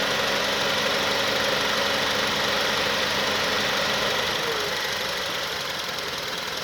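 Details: 2006 Honda Accord, 104k: petrol engine idles rough and pulsing with A/C on, sagging nearly to stall each time the compressor cycles before the ECU recovers; runs fine with A/C off.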